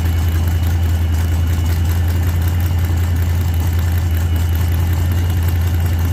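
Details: 1948 Chevy Fleetline small-block V8 (4-speed), freshly started after sitting a while and a motor repair, after heavy throttle pumping: deep, steady idle with an even low rumble and no knocks or misses. Running fine.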